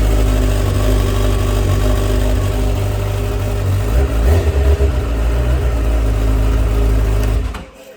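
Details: 2023 Honda CBR1000RR just after new battery install, in neutral: steady, even low idle with a smooth deep pulse and no knocks or rattles until shutdown. Normal idle.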